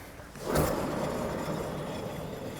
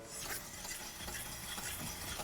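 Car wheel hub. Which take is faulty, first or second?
first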